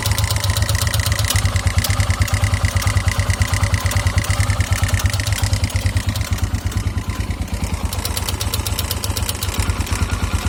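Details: 2009 KTM EXC 450 single-cylinder at idle: a steady clack, thought to be the cam chain tensioner, plus an uneven higher tick that drifts in and out and sometimes stalls the engine. It fades with throttle; oil level checked, cause unknown.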